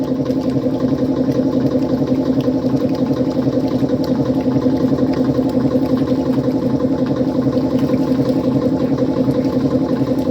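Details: 1955 Frigidaire Unimatic washer on a small load of whites, timer manually advanced for less water, pumping out dirty water; an even mid-pitched hum with a light steady pulse of about three per second: the pump running normally.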